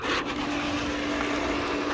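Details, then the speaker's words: Pump motor running; steady, even mid-pitched hum with no grinding or labouring; runs normally. "Pull pump's running. Waterfall's running. That motor we were working on was for the waterfall."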